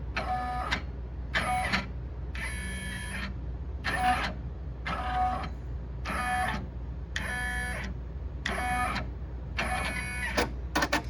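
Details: Brother 1050X serger, recently dealer-serviced, runs in short bursts with a high rubbing squeak that just started; owner wonders if a bar needs lubrication, cause unconfirmed.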